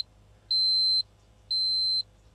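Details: Newly bought Ford Sierra Estate Mk1 4x4 Ghia 2.8 with a starting problem: high, clean half-second beeps, one per second, over a quiet cabin. Warning chime, apparently for the open boot and door.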